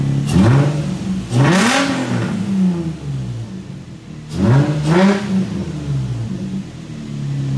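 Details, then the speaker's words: Nissan VQ V6 in a drift project car: two clean throttle blips rise smoothly and fall back to a steady idle with no knocks or rattles. Normal engine revving. "My VQ starts and runs great. Our steering works. It sounds amazing."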